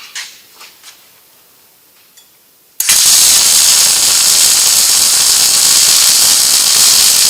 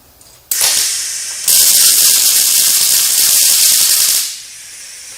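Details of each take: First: Riland MIG 2000T multi-process welder, settings lowered from about 21.8 V and wire speed 311 toward 217 with arc and induction adjusted: after a quiet start the arc settles into a steady, even frying crackle without popping; well set up. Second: Riland MIG 2000T multi-process welder on 2T mode with 30-gauge wire: harsh, crackling, stuttering arc hiss that never settles into a smooth sizzle. Wire feed speed is too fast, giving poor penetration.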